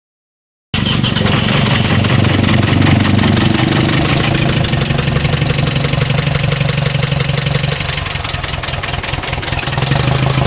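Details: Mitsubishi Strada 4N15 diesel knocking at idle: after starting, it settles into idle with a steady knock about four times a second over the diesel clatter; engine knocking fault.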